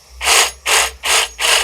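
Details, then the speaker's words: New AEG BSB18BL-0 cordless drill, free-running: four short bursts with a dry, ratchety rattle that disappears under light load; owner suspects gearbox no-load noise and calls it normal for now. "that noise is in there when i'm drilling so i'd say there's probably like some kind of adjustment in the gearbox like it's like a no-load kind of thing when there's no load on it makes it but put some light on it it doesn't make the noise"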